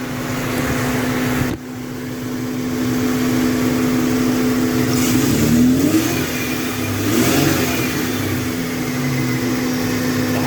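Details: 1995 Ford Mustang V6 after thermostat replacement and coolant refill, before air bleeding: smooth even idle with steady hum and clean rev rises and falls, no misses or knocks; healthy.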